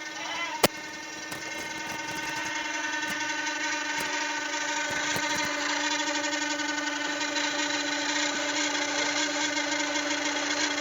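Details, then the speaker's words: Polytron showcase fridge, noise from the top compartment: a loud, steady droning whine from the evaporator fan motor, its dry, dragging bearing slowing it. "Kemudian bisa dilihat yang bunyi ini kipas atau yang lainnya, tetapi ini yang berpotensi bunyi hanya kipas. Jadi ini sudah pasti kipas."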